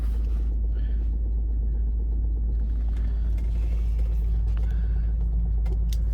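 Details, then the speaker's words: Rolls-Royce on truck tyres rolling slowly on wet grass, with a low, soft, even rumble and slight leather creak, no knocks or rattles; drives smooth and quiet. "It drives nice and smooth, nice and quiet."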